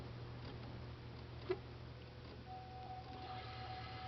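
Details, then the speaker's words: 2003 Chevy Suburban no-start with no PCM communication; wiggling the PCM harness into position brings a faint steady fuel pump prime hum as the ECM powers up, proving ECM power is fine and pointing to a harness fault, later found as a bad PCM ground wire on the right cylinder head. "if I hold it in that position right there you can hear the fuel pump running which means our ECM is coming to life"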